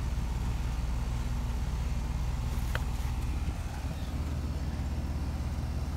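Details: HVAC outdoor unit whose compressor would not start (suspected thermal lockout), running after about 4 oz of refrigerant was added: steady low compressor hum with the fan turning evenly and no rattles or clicks; it runs normally.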